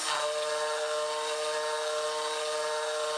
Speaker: this is one of the worst things i do with my machine is the plunging of this tool into the metal like that is tons of chatter